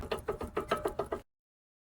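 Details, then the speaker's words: 2018 Honda CR-V front suspension: fast run of dull knocks when driven, caused by seized, worn sway bar links that are then replaced. "2018 Honda CRV, we're gonna replace the sway bar links because they are not good. A lot of clunking when the vehicle is being driven."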